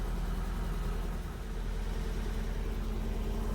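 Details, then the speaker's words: Engine at idle after the battery was reconnected and a suspected part changed: uneven, lumpy, chugging idle that keeps stumbling and shaking; misfire unchanged, no fault code, coil pack doubtfully ruled out, air leaks next to check. "So the mystery continues. It's running, but it sounds the same as it was."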